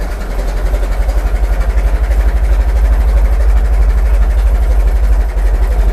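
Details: Restored 1921 American LaFrance fire engine after its finished restoration: a deep, steady low thumping of about four beats a second, even and unbroken; the old four-cylinder idles smoothly.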